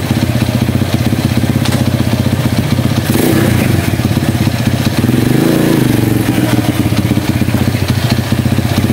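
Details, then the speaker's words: Honda CB100 single-cylinder, stored for years in a warehouse, running in gear after fixing sticking clutch plates that caused stalling when engaging gear; even thumps, revs dip and recover without stalling, healthy. "Oke jadi Sudah sembuh Mas Bro ya penyakitnya jadi permasalahannya itu di kopling ya koplingnya memang lengket karena memang sudah sudah lama enggak dipakai"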